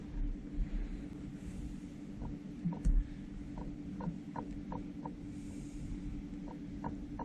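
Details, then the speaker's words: Jointer with freshly sharpened knives reinstalled, cutterhead turned by hand while setting table elevation against a square; quiet room with faint, light scraping ticks as the knife just touches the square, height set right. "so we can hear it scraping that's all you want for right now"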